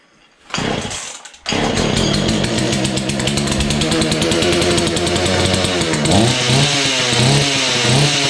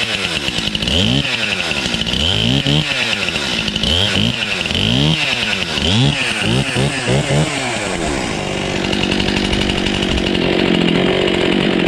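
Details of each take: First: Husqvarna 235 X-Torq chainsaw, started after long storage using primer and full then half choke. It stutters, then buzzes unevenly with hunting pitch. The owner suspects the fuel pickup isn't working well. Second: Husqvarna 235 X-Torq chainsaw, pulled from a snow bank and restarted on primer, full then half choke, with little fuel; catches, blipped through several quick rev rises and falls, then settles to a steady, clean two-stroke buzz; normal running.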